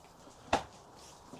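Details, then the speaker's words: KTM enduro/motocross bike after strip-down and rebuild: two sharp, isolated metallic clunks about a second apart as the seat is pushed and released. Suspected unserviced rear shock knocking, not confirmed. "that sort of unhealthy metal touching metal sound. Um, I think it's the Oh, sorry about that. Uh, yeah. So, I think that sound is it's radiating in the shock in the rear shock."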